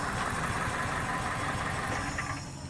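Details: 2001 Toyota Corolla 1.8 with no codes: idle stumbles with an irregular skip in the beat, suspected cylinder 3 misfire; possible low compression or worn oil ring suspected, not confirmed.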